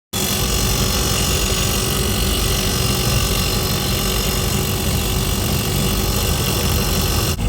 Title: Compressor making noise